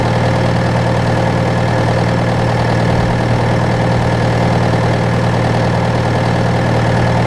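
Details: John Deere 6115M diesel tractor (about 3 years, under 1000 hours) idling after rubber fuel line replacement and electric-pump priming; steady, even idle with smooth low beat, no misses or knocks; normal idle.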